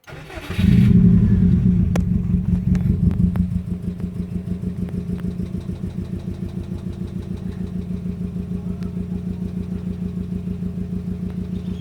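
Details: 2005 Subaru WRX EJ20 with code P0340 and cylinder 3 misfire: lumpy uneven idle stumbling irregularly; compression good, spark present, fuel flowing, despite new coil, plug, front O2 sensor and battery.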